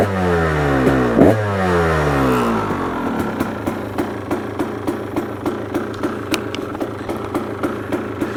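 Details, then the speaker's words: KTM 300 XC Slovakia Edition two-stroke dirt bike, freshly rebuilt, being warmed up: crisp revs climbing and dropping back to a quick, even popping idle with no knock; runs really good and fast. "so right now it runs really good and the first thing uh rattle noticed was that it's fast it's really fast"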